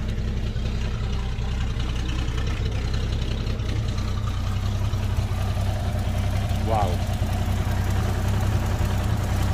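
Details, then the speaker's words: Toyota Land Cruiser FJ60 project, long used at the beach with heavy rust, started in low range: deep, steady idle with an even low rumble and no misses or knocks, sounds healthy; normal idle. "let's give him some sometimes let's see what's going on here and it does start and it sounds healthy too"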